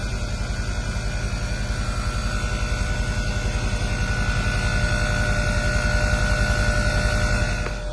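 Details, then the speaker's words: Mercedes W212 E63 AMG air suspension pump after replacement, previously no power at plug and weak output: steady electric hum with fast even pulse, about 160 per minute, running smoothly as the car rises, then cuts off cleanly; healthy compressor. "we've got the pump up and running as you can see running perfectly fine now as you can see the vehicle is slowly rising"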